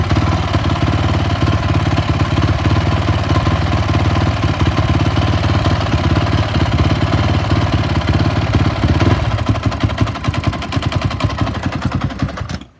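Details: 2004 Honda CRF450 at idle after cleaning and refitting a hot start stuck in the carb: low, uneven loping beat before cutting off; runs strong on throttle; owner suspects needed internal adjustment, unconfirmed.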